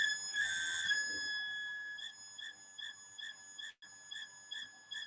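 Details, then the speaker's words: Mitsubishi Melservo-J5 servo axis with a wheel not fixed correctly; after refixing, vibration is even higher, suspected tuning value too high: high steady whine pulsing about two and a half per second; servo axis vibration whine. "so it wasn't the good solution but we can hear that the vibration level is um is is higher what we can hear here"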